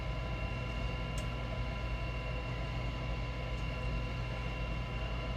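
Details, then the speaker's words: Goodman gas furnace start cycle, before blower motor replacement: combustion (inducer) fan spins up with steady even hum and faint whir, no rattles, ahead of igniter and burner; normal inducer fan run at startup. "that's the combustion fan running right now igniter and the burner"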